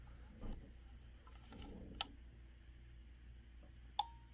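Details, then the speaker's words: Honeywell water heater gas control valve that flashes a blue error and shuts off: quiet, then two sharp clicks about two seconds apart. The valve solenoids are switching normally and the pilot lights. "you're going to hear a second click if you don't hear two clicks I'm not saying that your control board is faulty"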